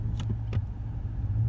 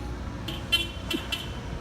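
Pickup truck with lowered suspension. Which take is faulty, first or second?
first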